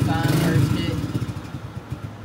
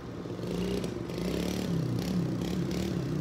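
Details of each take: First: Old Kawasaki dirt bike at startup, exhaust sound: fires up then beat turns uneven and fades, stumbling and failing to hold idle; blamed on the carburetor, clogged pilot jet starving it, before carb removal and fix. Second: Old carbureted dirt bike after idle adjustment screw turned one full turn: steady low putter with light top-end clatter and a short throttle blip; idles evenly, runs good.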